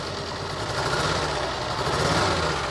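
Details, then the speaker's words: Renault Alpine V6 Turbo idling roughly with an irregular firing beat and shaky rumble, a cylinder dropping out; owner suspects a stuck fuel injector. "ich gestern gesehen, wie er gezündet hat , aber ich denke, dass es sich um eine festsitzende Einspritzdüse handelt ."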